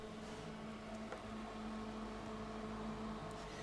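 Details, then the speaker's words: Kegland G20 glycol chiller after two weeks of continuous fermenter chilling indoors on carpet: steady fairly loud hum, constant low tone, no knock or rattle; runs normally but noisy, echoing through house. "one is it's pretty noisy I don't know if you can hear that in the background"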